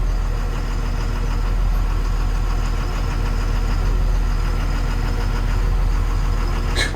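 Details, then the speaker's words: Excavator after hydraulic slew motor strip and rebuild for a leak, pipes reconnected: diesel chugs steadily at working revs, even throb, no grinding or clunks while swinging. Normal slew operation. "right it's going round where it's wanting to is good"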